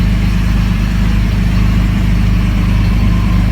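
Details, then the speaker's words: 2003 Jeep Liberty after camshaft and crankshaft position sensor work, check engine light now off: low, uneven loping idle that never settles, strong fuel smell; rough idle from camshaft position sensor issue. "It's idling a little rough, but hey, the light is off."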